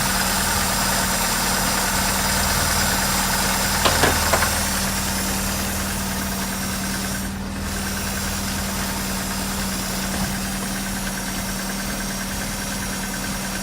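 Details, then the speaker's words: Opel Manta under rebuild, previously lumpy-running, no coolant in, smelling rich, after adjusting the distributor timing: even, steady idle with a smooth hum and no misses; normal idle. "What's the fingers? That sounds pretty nice. Wonder what the pickup's like at that. Better."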